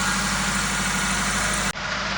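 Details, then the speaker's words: Toyota Ractis (about 2008) with 2SZ-FE engine, rebuilt at home for oil burning and smoking, running after vacuum lines and exhaust were reconnected: steady, even idle with smooth low hum, no knocks or misses; normal idle. "But here you have the video after everything was connected. And just like that, folks, the engine is running."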